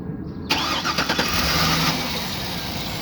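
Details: 2008 Cadillac Escalade V8 with a no-crank fault (BCM not grounding the starter relay), started by jumping relay pins 85 and 86: a short burst of starter cranking, then it catches and settles into a steady, even idle.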